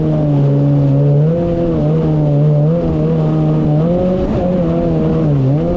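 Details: 2019 Yamaha GP1800R WaveRunner, supercharged 1.8L, under load on the water after supercharger clutch replacement: strong clean drone rising and dipping smoothly as throttle is worked, no slipping or rattle; running normally.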